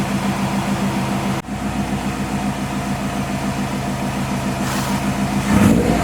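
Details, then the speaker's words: Subaru STI after sitting four months in winter, jump-started: steady, even idle around 500-700 rpm with a couple of light throttle blips that rise and settle cleanly; oil pressure normal, engine sounds healthy. "our oil pressure is back down to normal idle because our idle is back down to right around 500 i think it's around 700 actually it's set too"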